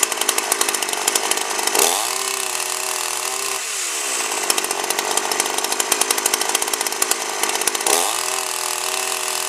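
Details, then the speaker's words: 52cc GIO chainsaw (bar near 20in), first run: screams up at full throttle, drops back and revs again, a bit rich and blubbery at the top. Owner suspects rich fuel mix and wants the high end leaned out. "uh runs quite well and that uh it sounds like it uh wants a little bit more at the high end wants to be leaned out a little bit and I think I mixed mixed the gas uh a bit Rich"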